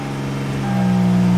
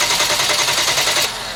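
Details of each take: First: 2011 Hyundai Genesis 3.8L, crank-no-start case, after the fuel supply line is refitted following fuel pump testing: the engine starts and settles into a smooth, steady hum. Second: 2011 Hyundai Genesis 3.8 L with crank-no-start, fuel line opened into a bottle: about a second of even, brisk starter cranking that never fires; engine sounds mechanically sound, but no fuel comes out of the line.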